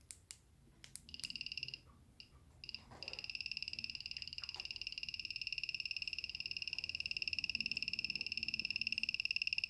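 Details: Xiaomi Mi M365 scooter won't power up, giving only a high two-tone peep/click repeating evenly about three times a second; battery tested fine with a multimeter; cause unknown.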